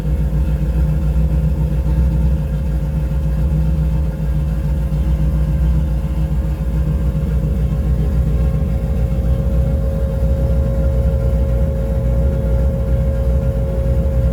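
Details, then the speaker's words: Carbureted engine after fitting carb vent tube extensions to a conversion kit: deep, steady, even idle with a low rumble and no misses or hunting; throttle response improved. "beaut I love it I really love it"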